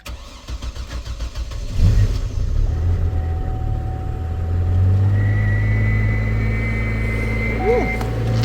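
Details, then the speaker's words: Chevy Trailblazer, first start after fuel pump install, tank nearly empty: cranks, catches, then unsteady wavering idle, running rough and missing. Owner suspects a misfire, cause not confirmed. "There we go. It definitely need a whiffing. It's just missing a uh"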